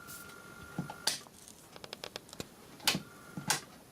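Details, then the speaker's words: Landis & Gyr KYB1Z30.1 30 A time switch, powered up on test: quiet scattered light clicks and faint steady tone as the small motor wheel spins and winds the spring; running normally. "let's uh get it all powered up and hear it ticking over"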